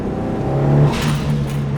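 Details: Mitsubishi Evo turbo engine, before blow-off valve delete: revs, then a short airy whoosh as throttle shuts; stock recirculating blow-off valve venting normally.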